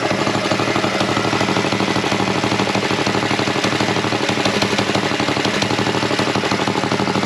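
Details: Go Power Sports Rascal mini bike, single-cylinder, carb tuned with bigger jet, choke off: quick, even firing with steady beat and no misses or knocks; running clean and healthy.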